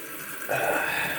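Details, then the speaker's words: Kohler toilet with a Fluidmaster 400 fill valve refilling after its seal was checked and cleaned, supply valve about half open; steady hissing rush of water with no sputter or squeal, filling normally. "that goes in there and this fills up there we go it filled up"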